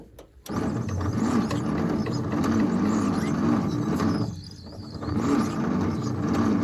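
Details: 1953 International L160 truck, choke on and gasoline poured in: slow, labored crank about four turns a second that sags and never fires; battery thought dead, to be charged and carburetor cleaned.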